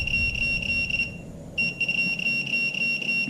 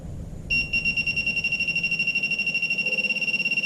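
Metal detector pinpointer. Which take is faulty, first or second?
second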